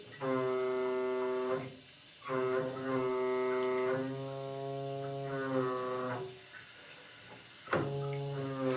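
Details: Broken faucet with hot water shut off; loud steady hornlike drone at fixed low pitch, cutting out and returning in bursts as water passes; tap hums like a ship's horn, still flowing even when closed.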